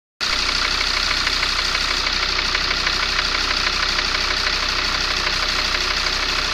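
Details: Mercedes ML W163 2.7 CDI diesel at idle: light, regular tapping about three times a second from cylinder 5. It stops when injector 5 is unplugged and persists with a swapped injector. Injectors were cleaned, head removed, some hydraulic lifters replaced; compression good. Cause unknown.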